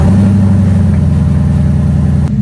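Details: 2017 Mustang GT V8 after new spark plugs and ignition coils for misfire on five cylinders that stalled at idle: deep even rumble, steady idle, no skips, firing cleanly.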